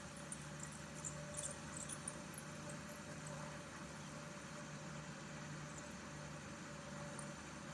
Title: Air Pro air purifier, bad bearing?